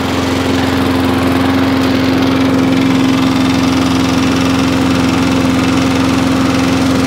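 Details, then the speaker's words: Wolf lawnmower of about 21 inches, starting on 5 or 6 primer pumps: strong even single-cylinder drone at steady pitch, no surging or stumbling; now running normally, wasn't before. "So, it's now all running, which is good. It wasn't beforehand."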